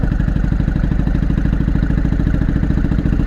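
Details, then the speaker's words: Honda Shadow 500 V-twin, first start after years apart, running only on front cylinder: heavy lumpy low thumping at fast idle, not settling; carburettor flooding with massive fuel leak, carbs must come off again. "Also possible if I just smash on the carb a little bit. Come on, baby, stop flooding out."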